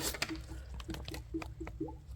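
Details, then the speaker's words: BMW 440i B58 after water pump replacement, refilling coolant and distilled water: squeezing a lower hose gives soft gurgles and drips in small bursts, pushing trapped air out and drawing coolant in, before the in-car bleed procedure. "You can hear it bubbling a little bit, but every time you squeeze that, you hear the bubbles. That's basically pushing air out and sucking more coolant in."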